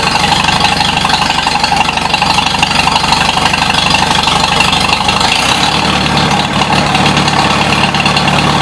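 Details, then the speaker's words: 1953 Super H tractor, throttle raised notch by notch to the fourth notch: smooth even beat settling slightly lower near the end, no knocks or misfires; sounds good. "happens third Notch it was ran there a lot fourth Notch sounds damn good I can see it pulling the air in there with the smoke"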